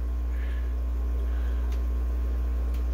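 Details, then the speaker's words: Pondmaster AP 20 air pump after rebuild: steady, even low hum with faint soft pulsing, no rattle or buzz; quieter than before, and the owner thinks the earlier noise meant a broken diaphragm. "we got the old pawn master ap 20 up there running just as good as new again it's even quieter because it buyer friends probably been broken for a while that's why it got noisy"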